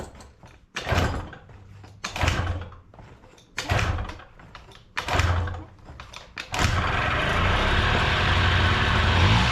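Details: Honda Dio 18 65cc two-stroke scooter, first start after rebuild: four short kick-start bursts, then catches and holds a steady buzzing idle. Normal running.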